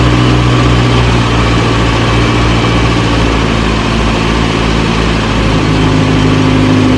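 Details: 1937 Morris 8, 918cc pre-war engine, first run during recommissioning, no cooling water in: steady, loud low rumble at idle, fairly even beat, no knocks or misses; about 75 psi oil pressure, running fine, slight smoke burning off.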